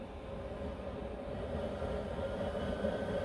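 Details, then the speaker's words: Alpha Etec 28 boiler just after replacing a part to fix a major leak from cold weather. It was refilled to 1 bar and is heating water with a steady burner and fan roar and a faint hum. No rattles or bangs; it is firing normally. "right we've turned the um boiler on it's just heating up the um the water"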